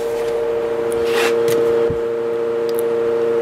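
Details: Fan running on a cheap 100 W modified sine wave inverter from a 12 V cigarette lighter outlet, 115 V output, compared with line power: loud steady buzzing tone around 500 cycles over the airflow; motor noise on inverter power.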